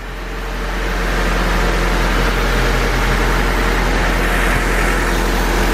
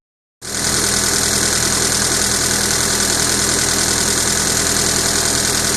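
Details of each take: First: Honda Civic with a freshly rebuilt engine, just after valve lash adjustment: steady, even fast idle around 1000 rpm with only a soft, quick typewriter-like valve tick; very quiet; idle and timing not yet set; normal idle. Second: Honda Civic with a freshly rebuilt engine at idle, before valve lash adjustment: loud fast, fairly even valvetrain clatter about three or four ticks a second from loose valve lash; ignition timing also suspected off.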